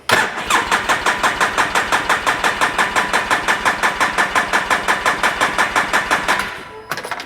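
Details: 2010 Polaris Ranger RZR 800 S after engine rebuild, fuel pump hooked up: steady starter cranking at about three even pulses per second for six seconds, never catches, then stops; check engine light on.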